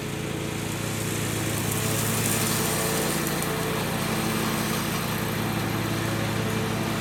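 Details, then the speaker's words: John Deere 345 mower with a Kawasaki FD611V V-twin, about 490 hours, after stage-one revival repairs and a fuel filter change. Steady, even drone under mowing load with no misses or knocks; normal, healthy running. "The Kawasaki FD611V that's in this is just a fantastic little engine. Runs so smooth, doesn't use any oil, just a real treat."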